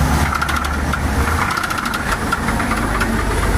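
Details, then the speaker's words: Chevrolet S10 4x4 engine: rough idle with repeated hard knocking ticks over the engine note; owner suspects rod knock, not confirmed. "i mean got me it's sounds like a rod damn right it sounds like a rod"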